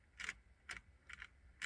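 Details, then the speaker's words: Bluetooth car cassette adapter in the radio, before repair: quiet, irregular sharp clicking in bursts from loose internal components. It also keeps ejecting. "And basically almost all of these have this same problem where they are very noisy because the components inside are just really loose."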